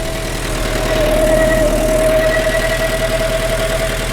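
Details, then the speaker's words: Peugeot 305 after reassembly and coolant refill: steady running engine with rough, rapid tapping about three per second and a thin steady tone; abnormal running noise, owner believes it is the carburettor, unproven. "Carburetor, it's definitely carburetor, that noise. It's not anything else. Cannot be anything else."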